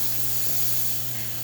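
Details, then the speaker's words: La Pavoni lever espresso machine just after a full service, with a repaired knob leak, steam test: steady, even hiss of dry steam with a faint low hum and no sputter or leak noise; steam wand working normally. "So we're going to start by steaming. Just a little bit of that steam that's in there."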